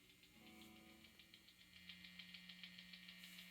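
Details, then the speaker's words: Fender American Strat Pro single-coil pickups through a self-built MOSFET drive and Tube Screamer-style pedal; steady mains hum with a harsh high buzz, silent when the volume pedal is rolled off. "So together, phenomenal sound. Lots of noise though."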